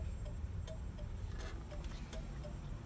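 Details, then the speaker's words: Turn signals and hazards not working because of a blown turn-signal fuse; after replacing the fuse the flasher has power. Hazard relay gives crisp, evenly spaced quick clicks with no skips: normal turn signal flasher operation. "so by replacing that fuse then you should have power for the flasher there it is and now you put the flashlight back on and you can hear it click click and then on the dash there's your hazards"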